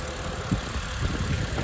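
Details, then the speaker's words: 2009 BMW Z4 E89 sDrive 2.3i (59 plate), six-speed manual, heard under the bonnet at warm idle: smooth, even low hum with no ticks, knocks or hunting; starts beautifully, normal warm idle. "um no funny noises starts beautifully in it one's rather quick"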